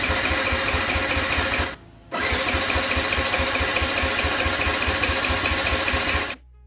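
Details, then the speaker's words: Abandoned Yamaha YZF-125R after a new ignition plug, on jumper leads, with the fuel pump heard priming: quick, even starter churn with steady compression pulses, a pause, then more cranking that never fires. The pump later tests fine; old fuel is suspected. "Okay, that's not working. Let's test this fuel pump."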